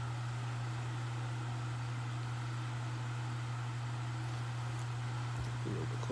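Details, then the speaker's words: Duracraft pedestal fan made 12/1996, now a parts fan, running on high speed: steady low hum comes from the stool it sits on, not the fan motor, under an even rush of air with no ticking or rattle; normal operation. "Start with high speed. The hum you hear from it is from the stool it is sitting on. It's not the fan motor."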